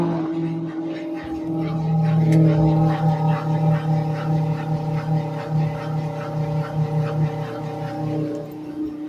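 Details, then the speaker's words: Washing machine drain pump: loud droning hum with a rough, pulsing buzz, about two throbs a second, from the failing pump, which is to be replaced with a new original pump. "esse barulhinho aqui é da bomba d'água vamos fazer a substituição"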